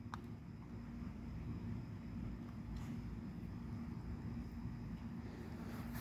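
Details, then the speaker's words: Sears 139.654300 garage door opener tested with remote and receiver: steady, even motor hum while the door travels, relay buzz audible, instant reverse working, no grinding or straining; opener operates normally. "I don't think that worked from there, but it's okay. Definitely hear that relay buzz."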